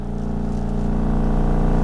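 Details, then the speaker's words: Cadillac at idle in gear with AC on: low rough throbbing drone, whole car and steering wheel shaking, worse with AC on than off; caused by worn motor mounts, which were replaced. "And here at idle, you can see that we've got our steering wheel. The whole car is shaking, especially through the steering wheel."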